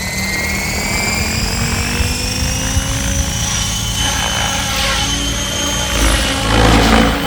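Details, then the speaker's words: Goblin 700 nitro RC helicopter with Switch blades at about 1700 rpm head speed after FBL tuning and modified rates; steady whirring rotor hum with clean high motor whine, no buzz or flutter, blades loud but running normally. "now you can hear that they sound pretty horrible because they're being pushed pretty hard and they're freaking loud but now it's at least closer to what i'm used to"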